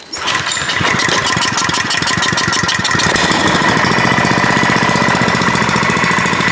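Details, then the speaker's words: Older Kawasaki small engine after carburetor cleaning, stuck butterfly fixed and adjustment improved: catches within a fraction of a second and settles into a quick, even popping about four beats a second, running smoothly; engine saved from the junk pile. "What the heck? I wasn't expecting that. You can still hear that engine running in the background."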